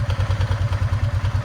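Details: Honda Rubicon ATV in very cold weather: rough, lumpy cold idle with a steady clattering thump about six times a second, a rattle from the engine; cause not pinned down; the transmission also sometimes locks up as if in two gears.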